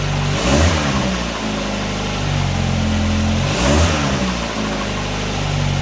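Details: 1999 Nissan Sentra 1.6 after an EGR delete and new headers were installed: a steady idle, then two clean throttle blips rise and fall smoothly with no rattles or popping. Much quieter than before the repair. Normal revving.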